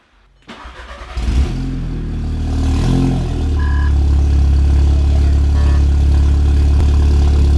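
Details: Audi MK2 8J TTS with a TTRS low-pressure fuel pump, after installing a Torqbye PM4: quick crank, catches cleanly, flares briefly, then settles into a smooth, steady idle with no misses. Normal start and idle.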